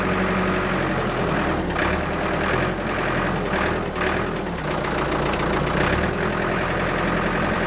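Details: Abandoned Ford 655A backhoe diesel after revival, hydraulics loading it: steady even clatter, no knocks or misses; engine sounds good, blow-by basically none, healthy.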